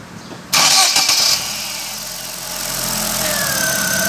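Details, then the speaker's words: Chevrolet Prisma 1.4 flex 2008/2009 after a used spark plug replaced the faulty new one in cylinder 4: catches after a sharp start, then a steady even hum rising slightly with throttle; the acceleration misfire has stopped. "já melhorou fosse mais nada a larga melhorou aquela curva aqui ó não está tendo aquela curva feia mais e aceleração parou de falhar"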